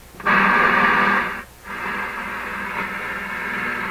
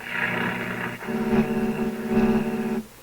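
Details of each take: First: RCA Victor 65U AM radio/record player, no capacitors changed, tuned around 640–740 on AM with unknown antenna: station audio over steady hiss, brief dropouts while tuning, no mains hum; receiving normally. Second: RCA Victor 65U tube AM radio/record player, warmed up with no hum: steady buzzing tones with a warbling roar on the AM band, suspected interference from nearby computer equipment.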